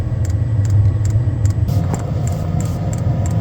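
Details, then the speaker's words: Newly installed diesel heater in a bus: glow plugs heat, fuel pump kicks in, then it ignites cleanly and the fan speed ramps up over a low steady rumble with light regular ticking; normal start-up. "Fuel pumps kicks in. Now, this should ignite now. And we should have the fan speed come up considerably more. And it sounds like it's just ignited now."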